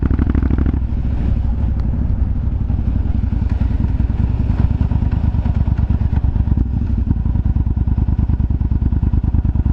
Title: Yamaha BT1100 BULLDOG exhaust popping sound